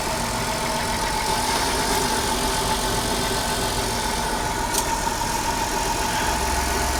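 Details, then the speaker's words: 3.3-liter V6 with about 97,000 miles, at idle: even, steady smooth hum with no knocks or misses over background noise; running like a top, no leaks seen. "3.3 liter v6 she sounds like she's running like a top"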